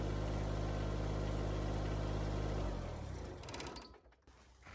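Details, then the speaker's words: Kubota BX25 small diesel after replacing a broken belt for the coolant pump, fan, alternator and hydraulics, shroud off: smooth, even low idle thrum with steady beats, then winds down cleanly at shutdown; hydraulics and fan working, healthy. "Okay, the hydraulics seemed to work. Everything seemed to be working. Got fluid, the fan was turning."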